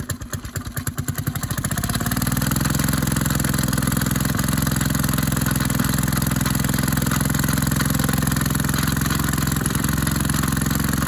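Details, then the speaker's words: Maytag 72 twin-cylinder engine driving a power hacksaw, pulley changed from 4 to 5 in, one cylinder more worn, was flooded: slow uneven firing picks up to a fast, steady beat; idle speed too high, adjustable via plug screw. "flooded still running a little fast but if you take out that plug right there you can put a screwdriver down in there and there's a plug that you can turn and that changes the RPM"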